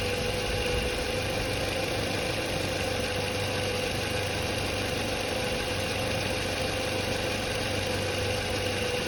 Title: Bad Alternator vs Good Alternator